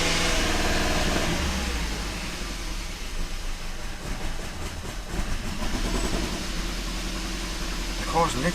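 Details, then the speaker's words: Kia Ceed GT (pro_cee'd GT) with a long-running misfire on cold start: after clearing fault codes, very lumpy, stumbling misfiring idle with uneven beat and dips, engine warning light flashing, same misfire codes return, rotten-egg smell. "okay so it's still really really lumpy yeah something is not right at all the engine warning light is now flashing once again"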